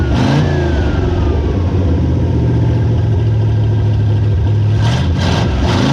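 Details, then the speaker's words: Dodge W100 4x4 with swapped-in 360 V8 from a D100, first start after swap on temporary fuel tank with ballast resistor jumped: strong deep rumble, revs rise and settle smoothly, even firing, no knocks or misses; healthy. "sounds pretty healthy enough yeah"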